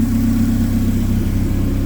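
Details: K24-swapped 1987 AE86 four-cylinder after flipped MAP sensor wires were fixed and fuel pressure set around 55; steady, fairly even running note with a firm low drone, no stumble. Normal running.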